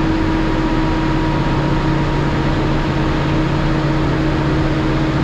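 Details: Cummins ISL9 after in-frame rebuild (dusted from poor maintenance; top compression rings on cylinders 5 and 6 were broken): loud, steady, even full-throttle drone. Crankcase pressure used to trigger the stop-engine lamp at half throttle; now no lamp at full throttle, good oil pressure.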